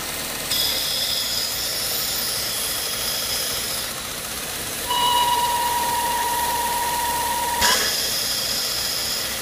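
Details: BMW E36 at idle: steady airy hiss with a sharp high squeal holding a few seconds; owner suspects a bad hose, source unconfirmed.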